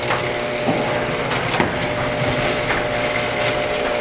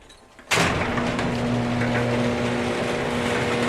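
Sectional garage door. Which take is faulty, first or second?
first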